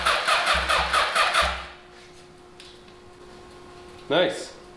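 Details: Previously non-running 1981 Honda CB750 cranked via jumper to the starter solenoid: quick, even pulses about two a second with steady strength, turns over freely with good suction from each cylinder.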